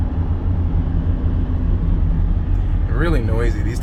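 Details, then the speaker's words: Car on Toyo tires at about 45 mph on a 55 mph road: steady, low droning roar with no rhythm or tone. The tires have been noisy since bought; the tire shop said they are fine. This is tire road noise, cause unconfirmed. "tires are just incredibly noisy they've kind of been like that since I've had them not with the whole wobble noise but they've just been noisy tires"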